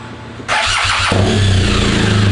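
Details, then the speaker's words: 2016 BMW R1200RS at 60,000-mile service, engine suppression test: in first gear, clutch in, kickstand up, short starter whirr then the twin catches at once into a firm even idle; suppression working, battery later read 12.49 V. "start. So engine suppression is working."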